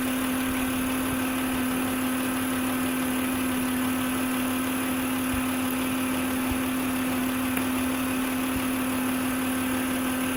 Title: 2006 Acura MDX - Old Failing Alternator Whining Noise - VTEC 3.5L V6 Engine